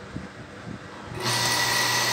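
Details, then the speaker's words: Centrifugal water pump that overheated with irregular sound, after correcting the oversized start capacitor: quiet start, then steady even hum with a light high whine and no surging; current down to about 2.3 A. Normal running. "el sonido suave dinero no suena como sonaba"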